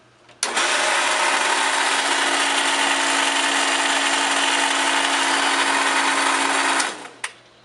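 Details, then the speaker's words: 1 hp pool pump motor running: loud steady buzz with harsh edge and low hum underneath, starting and stopping with motor; owner attributes it to bad bearings, to be replaced. "So did you hear that loud buzzing sound? And what that loud buzzing sound is, at least I've been able to attribute to based on all my research, is bad bearings."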